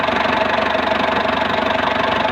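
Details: Ford Explorer 4.0 engine, rescued for a no-crank no-start issue: steady, even idle with a quick regular pulse and no knock or miss; engine runs smoothly.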